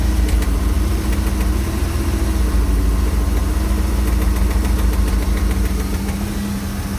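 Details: MerCruiser 260 5.7L V8 idling with a faint, loosely regular knock of roughly three to four per second. It is heard only at idle and goes away as the rpm rises. The source is undiagnosed.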